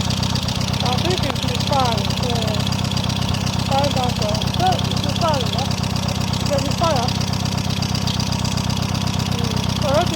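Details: Peugeot engine after repairs for valve damage blamed on a low-quality head gasket, idling steadily with a smooth four-beats-a-second pulse and no knocks or stumbles; running healthy.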